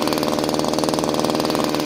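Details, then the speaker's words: Subscriber's pruning chainsaw: fast steady two-stroke buzz that never drops to a slow idle; idle is too high because the idle screw is open too far. "sí que tenemos un ralentí muy alto Por qué Porque el tornillo de ralentí está muy abierto"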